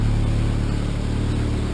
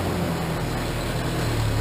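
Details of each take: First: Cheap Ford Ranger with a leaking exhaust system, at idle heard from the cab: a loud, deep, rough idle with a raspy puffing rumble like a diesel, from exhaust leaking everywhere; exhaust leak, exhaust to be replaced. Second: Cheap Ford Ranger after replacing the old exhaust with a used muffler and pipes routed over the rear axle: steady low rumbling idle, fairly muted, no raspy blowing or ticking; exhaust sounds sealed and much quieter.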